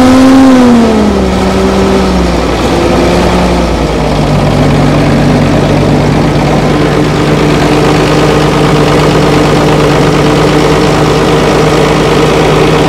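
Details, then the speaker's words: Old Fiat-Allis bulldozer, roughly D6/D7 size, six-cylinder diesel, probably not turbocharged, sat in the bush for years; started at full throttle with one injector line cracked; catches and settles into a steady, even, deep idle; normal idle. "well how's that she's actually running how good is that after all these years of sitting"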